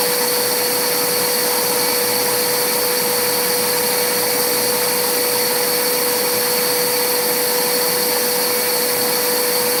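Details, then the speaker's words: Electrolux vacuum that earlier cut off after about 45 seconds: a steady high motor whine holding one pitch, running normally in this stretch with no surging. The owner suspects the vacuum sensor detects blocked airflow through a very dirty, never-serviced part and shuts the motor off. "So the last time when we first did it, it ran for maybe 45 seconds and it cut off, right? I'm gonna turn it on again. And I'm gonna try it again just to be on the safe side. But it could be that this little vacuum sensor was picking up that air couldn't pass through this anymore, and it's shutting this off."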